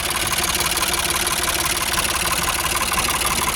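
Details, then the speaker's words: Ford 4600 tractor diesel, after fitting a service-exchange injection pump: steady tick-over at about 700 rpm with even knocks and no labouring or stumble; idles healthily. "It's ticking over at about 700 now, which I think is okay. It sounds alright. Doesn't sound like it's labouring or anything"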